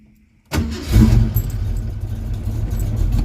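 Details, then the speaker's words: Mustang after replacing the ignition switch, zip-tied tight to remove play: silence, then the engine catches at once and settles straight into an even, steady idle; clean, healthy normal start. "Like [Music] butter. All right, declaring that a victory."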